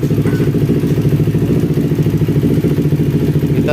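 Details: Carbureted Kawasaki Ninja 250 with coolant boiling in the overflow reservoir, running about 15 minutes after coolant refill with radiator cap off: small twin ticking over at a steady even idle, no misses or knocks.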